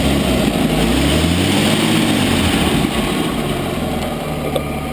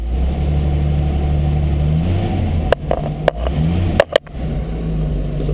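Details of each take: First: 1940 Chrysler Windsor coupe inline engine idling: steady low rumble with added puffing, ticking edge from an exhaust leak where the pipe meets the manifold; runs smooth otherwise, needs exhaust gasket replacement. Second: A 1940 Chrysler Windsor is started cold in neutral, just pulled from the garage, and runs at a steady, even low rumble with no knocks or misses, rising smoothly when the idle is raised. Normal idle.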